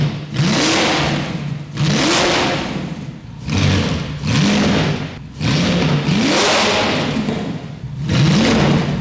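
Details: VW Phaeton W12 with the secondary catalytic converters removed (decatted; no lambda sensors in them), revved: a deep, booming roar swells with each blip and drops back between. It is far too loud, like a dinosaur.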